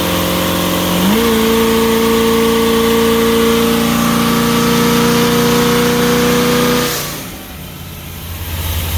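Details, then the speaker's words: Old $100 motorhome V8 with the old Quadrajet carb refitted, on a road test: pulls hard and clean at wide-open throttle, no bog or stumble, running better though still backfiring a little; strong wide-open throttle. "Wide open seems good though. Yeah, it's running better. Not bogging out."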